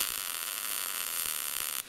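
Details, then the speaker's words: Gas-shielded short-circuit MIG welding with wire speed matched to the voltage setting: steady, even crackling hiss like frying bacon with no popping or stuttering; correct setting, between too slow and too fast. "Now that sounds pretty good right there."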